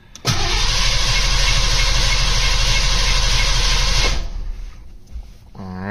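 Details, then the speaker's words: Mustang after winter storage, fresh spark plugs, coil wire off to build oil pressure; strong even cranking about three turns a second for four seconds, no drag; cranks healthy. "well it cranks really good which I'm happy about"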